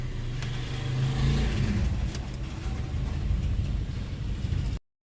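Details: 2010 Hyundai Tucson with hard starting and low power traced to damaged ECU capacitors: after the ECU repair, a deep steady engine hum with the air conditioning on, a slight rise in revs and no knocks or misses.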